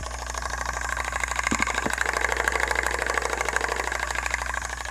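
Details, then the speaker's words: CTI Cryogenics cryo engine assembly, believed to be the pump of a Stirling cryocooler, run at 12 volts: steady mechanical hum with a quick, even click about three times a second. Clicking noise, source undetermined. "so it sounds like there some sort of like a clicking going on in this [Applause] thing"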